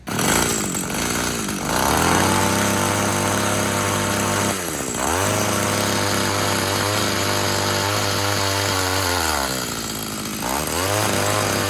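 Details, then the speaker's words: Tecumseh TC300 two-stroke Eskimo ice auger, about 90 psi compression, drilling: high buzzy revs dip briefly as the bit bites, then pull back up cleanly; running well under load. "hey guys thanks for watching the video as you saw there it seems to be working pretty well"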